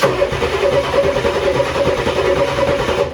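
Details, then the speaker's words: 1994 Ford F-250 factory-turbo IDI diesel that sat for years, with a newly fitted starter: spins over briskly and evenly for about three seconds without catching, possibly low compression on a couple of cylinders; normal cranking. "She might be a little low on compression on a couple of cylinders. But she does crank, that's all that matters."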